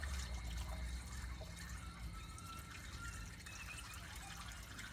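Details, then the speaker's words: Building waste pipe joint after a toilet flush, a leak recurring for years: a faint trickle and irregular dripping under a low room hum as water escapes the joint. The leak is back. "Pour down nicely down here. That's good. But now we can see our leaf has come back."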